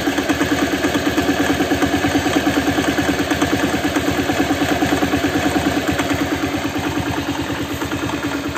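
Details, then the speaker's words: Older Honda Vario scooter at idle, exhaust outlet covered to make it clearer, engine oil about two months old: smooth idle with a sharp regular tok-tok knock at about three per second from the engine centre, not the CVT side; cause unconfirmed. "hai nah suaranya mesin halus-halus tapi kayak ada suara kayak tok tok tok gitu teman apalagi kalau kita tutup lubang knalpot ya ini suaranya jelas banget coba kalian dengarkan"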